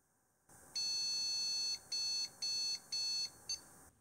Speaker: one long three short beeps that sounds like a graphics card error